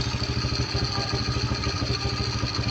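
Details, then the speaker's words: Carburetted motorcycle after engine rebuild, genuine carburetor at untouched factory settings, once warm idle rises by itself: even, steady low thumping with no misses or rattles; smooth, healthy idle. "พอมันติดปุ๊บพอเครื่องมันร้อนรอบเครื่องมันมาเองเลยครับเนี่ยมันขึ้นเองเลย"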